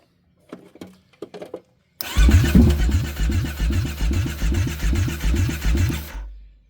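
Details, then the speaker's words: Kawasaki Brute Force 750 ATV, crank-no-start with spark confirmed: a few dry clicks, then the starter churns at two to three beats a second with no fuel pump hum at key-on. The pump is not priming; a connector fault is suspected. "because you should be able to hear that fuel pump whenever that key turns on"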